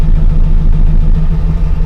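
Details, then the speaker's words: LS V8 truck after cam swap, idling in Drive. Torque management is pulling about 25 degrees of timing, giving a lumpy, uneven idle; it is to be disabled in the HP Tuners editor as the main cause: rough idle from torque-management retard. "so now I'm gonna go into the editor and we will disable that torque management and I think that's mainly what's been causing my my issues"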